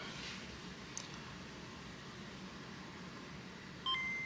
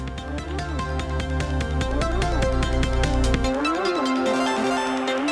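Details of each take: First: Nintendo Game Boy Pocket after cleaning corroded battery terminals, replacing bad capacitors and fixing the speaker, with volume on loud: quiet hiss, then a crisp, clean two-note power-on chime. The unit works. Normal boot chime. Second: Nintendo Game Boy Pocket with corroded terminals, before capacitor replacement: the boot chime comes through with a heavy low buzz and smeared, gritty tone. Suspected failing 100 µF 6 V audio capacitors. Distorted speaker audio.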